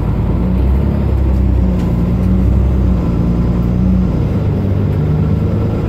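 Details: Mercedes-Benz Citaro O530 LE bus (OM457hLA 12 L 299 hp Euro 5, ZF Ecolife 6AP1700B with overdrive, 12,450 kg) while driving: under a deep rumble, a steady low gear-like hum holds its pitch, then steps. This is the only Citaro in the fleet with a noisy Ecolife automatic gearbox, whining.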